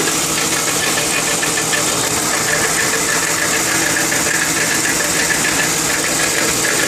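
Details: 2002 Lincoln Town Car V8 idling with a light knock about three a second that went away when driving; no performance issues, oil fine; cause was the driver's side catalytic converter, and replacing it stopped the knock.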